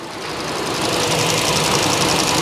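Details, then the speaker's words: Flood-damaged Kia Ceed GT-Line after repair and engine refit, warming up: an even, smooth petrol idle with no knocks or ticks. The engine sounds healthy. "oh no she sounds good she sounds good very happy"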